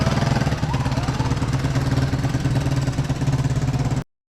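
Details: Small Barako motorcycle engine after rebuild with new 450 Makoto piston, reassembled and started: idles with a steady, even low thump, no knocking or rattling; before the repair it was very noisy.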